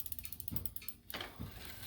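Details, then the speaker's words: Bicycle front derailleur after reattaching a loose cable, chain on the small (number one) chainring: quick regular light ticking following the cranks as the chain rubs the derailleur cage; needs limit adjustment. "Oh, you hear it rubbing though. That's no fun."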